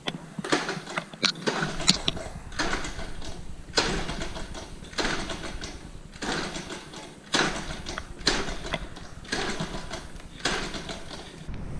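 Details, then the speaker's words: 1979 Honda Z50R with low compression and rebuilt top end: repeated cranking bursts with no firing; with the kill switch in run there is no spark, the likely reason it wasn't starting. "I put out a run we get a no spark so that could be a reason why I wasn't starting"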